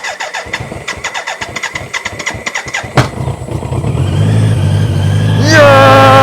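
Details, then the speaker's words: BMW K100 cafe racer first start after fuel tank overhaul, new internals and battery reinstalled: cranks about three seconds, catches, runs lumpy and uneven like a tractor before revving; rough running on cold start. Later runs better after sitting 15 minutes. "Sounds like a tractor. So, I've let it sit for a bit. Um, and it's sounding a lot better now."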